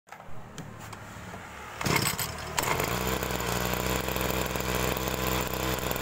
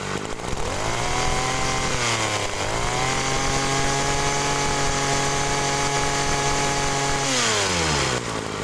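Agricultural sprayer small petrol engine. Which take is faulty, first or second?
first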